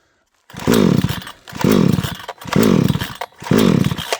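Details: Vevor chainsaw tried at full choke, half choke, no choke and with trigger pulled; four pull-cord strokes each a rising whirr, never fires; cranks but won't start.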